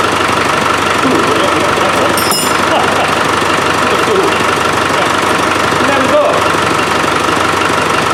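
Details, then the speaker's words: Land Rover 300Tdi diesel with a hard-starting fuel problem, idling after a new pump is fitted and dirty filter removed: steady, even clatter with no stumbling or hunting; ticking over healthily, sorted. "so I think we've got that too I think we've got that sorted it runs nice yeah"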